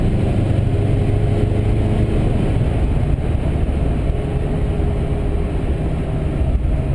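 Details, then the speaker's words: 2005 GMC Sierra 2500HD Duramax diesel with new 4" aftermarket exhaust (Corsa front pipe, Jamo stainless catback, FTE resonator muffler), heard from inside the cab on first interstate run at cruise: deep, steady, aggressive tone with little drone, no rasp, rattle or leak; normal exhaust tone. "bad see it's giving it a nice aggressive tone I ended up uh using the Corsa front pipe the jamo 4in catback piping as well as the FTE diesel resonator muffler I'm not hearing really much Drone at all"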